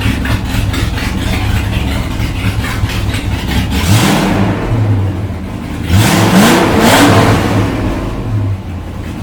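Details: First start after installing MAC long tube headers, engine reassembled after lifting, old mufflers still on: fires and revs with rough, uneven, puffy exhaust note rising with throttle; owner suspects header leak at the head from loose bolts, not confirmed.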